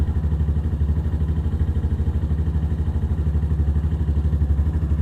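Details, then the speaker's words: Venom Ghost Chopper 250 single-cylinder after valve adjustment (intake 0.08, exhaust 0.12), not yet warmed up: even steady thump, smooth and clean but idle a little high; healthy, idle may need adjusting. "May have to adjust the idle. It's a little high. Not much. It's not warmed up yet either."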